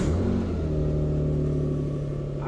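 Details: Car brought back to running after repairs, cold, started on jumper cables: even, steady low rumble with smooth idle tone, no misses or knocks; engine running normally.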